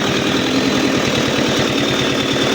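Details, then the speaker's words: Isuzu Panther turbo diesel after overheat with melted piston and stuck injector, just rebuilt, cold start without warm-up: steady idle with fast even clatter and faint hum, white smoke, slightly limping, sounds too smooth; the mechanic suspects the injection setting is off. "A kang ada asap putih dan agak pincang. Ini bisa jadi dari suaranya terlalu halus dan juga settingannya kurang pas."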